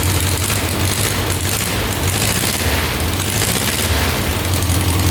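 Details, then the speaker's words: 1967 Volkswagen dune buggy air-cooled four, first start in neutral after adding 2.5 quarts oil: thick uneven rumble, heavy smoke, gas/oil mix from exhaust; suspected rich running, unconfirmed. "Looks like gas is coming out of the exhaust, so he was right about that. Eee, that doesn't look too good. I think that's gas."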